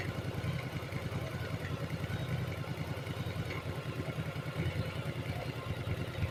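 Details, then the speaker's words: Yamaha Virago 1100 V-twin, after carburetor synchronization with idle speed lowered, air filter removed: low, even thumping idle with no hunting or misses; carbs sound balanced, normal idle. "I think that I think that it turned out well there because nothing we have synchronized the carburetors"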